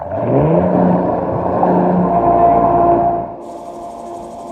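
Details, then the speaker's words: Pentair pool pump after replacing the valve and lid O-rings to fix an air leak: a steady motor hum with a light whine and rushing water that quiets within about three seconds. The lid fills with no bubbles, so it is priming normally. "here the water comes in you'll see it probably very quickly it's completely full in just a matter of seconds and all the air bubbles go away and that's exactly what we're looking for there should be no bubbles uh in that pump lid"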